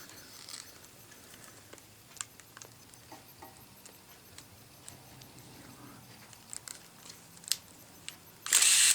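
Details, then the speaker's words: Thrift-store film camera with electronic flash, self-timer tested: crisp shutter clicks at irregular intervals, ending with high flash charging whine; shutter and flash firing properly. "I'll just turn it on your whining is it's charging up it has a test also there and a battery auto check"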